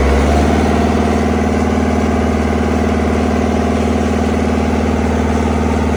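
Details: Steady, even diesel idle with a smooth low beat around three firing pulses a second, no knocks or misses, on a CAT 307SSR mini excavator's Mitsubishi engine after injection pump installation fixed a no-start; healthy.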